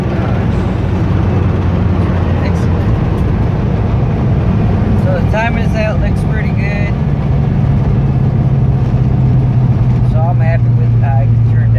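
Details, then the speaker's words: 1978 Pontiac Trans Am 400 V8 (X7 block, 6X heads), idling after timing set to 18° and vacuum advance reconnected: deep even rumble at slightly fast idle, no stumble or ping, faint voices; runs smoothly. "so the timing came on came out bought on a car ran perfect the idle little high but I made some adjustments and overall it came out pretty good"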